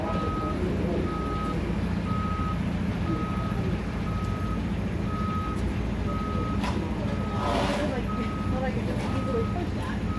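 A steady high beep repeats about once a second over a low diesel rumble: a truck's reversing alarm working as it should.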